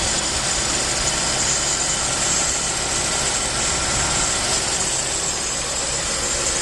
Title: Hissing sound